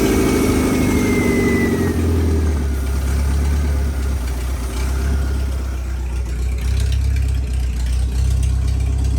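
Deep, steady engine idle with an even low rumble and no knocking or misses; the engine sounds like it is running fine.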